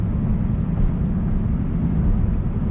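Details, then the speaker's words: Chevrolet pickup test drive at speed: steady low road roar from front tires cupped by loose front-end components; no pinion bearing noise heard on throttle tip-in or let-off. "the noise you hear here there is in the front end front tires being chopped from loose components"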